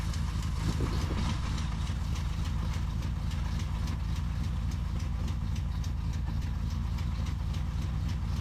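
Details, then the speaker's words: 1983 Pontiac Firebird V8, off the road for years, valve covers off after relashing all valves; owner suspects collapsing lifters. Steady deep idle with a light regular top-end tick, about three to four per second, cause unknown; zero oil pressure found afterward. "I just feel like I'm collapsing the lifters so I'm going to start it up and do it the old way which is going to make a gigantic mess"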